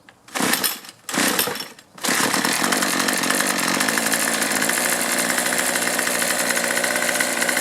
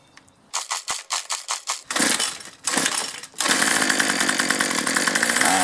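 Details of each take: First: Troy-Bilt two-stroke string trimmer, previously quitting after 10–15 minutes, after fuel system repair and new primer bulb: catches after two pulls on half choke and holds a steady even high buzz without surging; normal running. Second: 2-cycle string trimmer with poorly working primer bulb, unused about a week, before fitting an aftermarket carburetor: several pulls sputter and die, then ragged uneven revving never settling to a clean idle; faulty carburetor.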